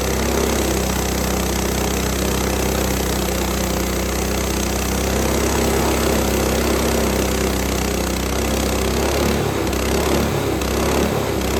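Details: Frontier OS18 sawmill's Lifan 7hp GX200-clone engine, after head gasket replacement and valve lash setting for zero compression: strong, steady drone as the sub-par blade bites very dry, hard ash, no bogging or knocking; normal running under load.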